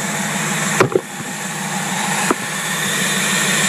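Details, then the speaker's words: Carburetor tested on a running engine idling at about 500 RPM: steady airy hiss of air being sucked in at a leaking heat choke fitting, a vacuum leak that may be at the other end of whatever hooks to it. "right here that's the air that you here sucking I don't know how you can hear it when you're inside a car but anyway that's that's the problem of the heat choke if you're you're hooking something to that it could be leaking on the other end"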